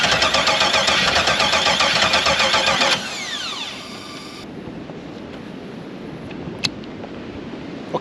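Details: LS-swapped K5 Blazer after sitting all winter: starter whirs in quick even rhythm for about three seconds, then stops without the engine catching; cranks but won't fire, cause not confirmed.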